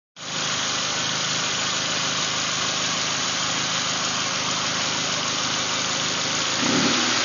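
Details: Nissan Primera P11-144: engine holds a steady speed under a loud hissy, rough whir that swells slightly near the end; cause unclear; abnormal engine noise.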